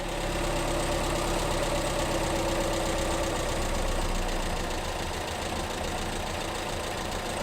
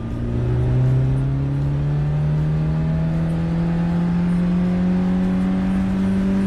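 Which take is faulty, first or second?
first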